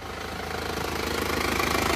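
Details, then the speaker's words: Panther diesel after repair that replaced fan belt, front and rear crank seals, radiator hoses, engine mounts and valve seals: blow-by cured, where before it smoked even when cold. Even, steady idle clatter, no miss or knock. Normal idle. "Untuk suara mesinnya seperti ini. Ini sudah sembuh juga dari ngobosnya."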